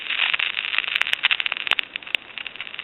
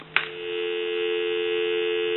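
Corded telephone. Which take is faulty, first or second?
first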